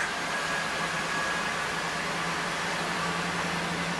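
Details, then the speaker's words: 2001 Mazda B4000 (Ford Ranger), 4.0-litre, running after replacing a serpentine-belt idler pulley that had play. Even, steady hum with no chirp, squeal or rattle, and no check-engine lights. Normal running. "No check engine lights on. Everything seems to be running true and straight and quiet."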